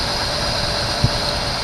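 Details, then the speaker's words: 1974 Chevy Nova that had sat a long time, first start with fuel poured into the carburetor: fast steady idle with no dip or hunting, heavy smoke; idle too high because the choke is still on. "i see it's the uh the choke is still on wow guys i mean she's a smoker but uh so far so good"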